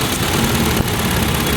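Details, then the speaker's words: Hyundai Elantra after computer box repair for no crank no start: lumpy, uneven idle with no steady rhythm; leaking ignition coil lets spark jump sideways instead of the plug, causing rough misfire. "isa din yan sa dahilan mga sir eh pag nag-leak yung toil hindi napupunta Ron sa spark baga siya sa gilid tumatalon yung kuryente kaya garalgal siya"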